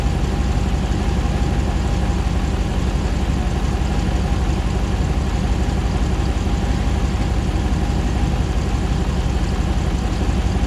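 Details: 2009 Hemi 1500 TRX4 auction truck, first start after months of rebuilding: smooth even V8 idle at about 87 psi oil pressure, faint fan hum, no ticks, knocks or jerking while warming; normal idle.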